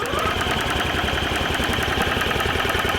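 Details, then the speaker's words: Nash Metropolitan cranking after bad gas, stuck throttle cables and bad fluids: uneven chugging firing pulses, catches briefly but never runs; faulty carburetor confirmed. "push comes to shove this carb is in fact done for"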